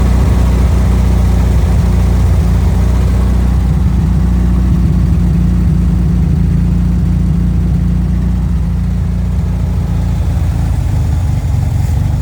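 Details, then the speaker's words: 1974 VW Thing, air-cooled flat-four, after freeing the throttle stuck wide open, carburetor float bowl filled: steady, even low rumble with no misses or knocks settling into smooth idle; normal idle. "all right so now that it's not full throttle it's not stuck wide open this should sound better a lot better"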